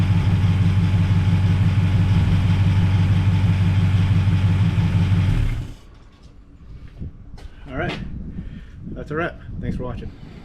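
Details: 1939 Buick coupe 248 straight-eight after coil replacement: smooth, even low pulse about three beats a second, then shuts off cleanly; sounds healthy, though later found leaking oil at the rear camshaft plug.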